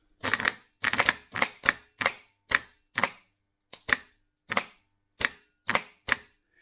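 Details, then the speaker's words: Starter motor for Mk3 Ford Cortina 2.0 Pinto, bench-tested via jump leads, supposedly new old stock; sharp single clicks about twice a second, solenoid engages but motor doesn't turn; seized. "no that's not right this sounds like it's seized this doesn't sound good no that's locked up"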